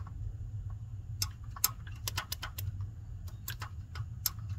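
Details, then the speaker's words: Land Rover engine that knocks when warm but not cold, lifters already new: camshaft rocked by hand with a wrench gives sharp uneven metallic clicks. Excessive camshaft play along its length, though the cam looks undamaged. "to kurde jest zobaczcie jaki tu jest luz wałek rozwalony jest na bank i to stuka i tak jest praktycznie po całej długości chociaż on wygląda nie wygląda na zniszczony"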